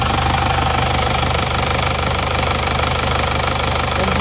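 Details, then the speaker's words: Diesel car with AD plate, idling: rough loud clatter with steady pulsing chuff about three to four beats a second; heavy blow-by from worn piston rings. "yang selesai ini kita sebelumnya ini mobilnya ngobos banget ya"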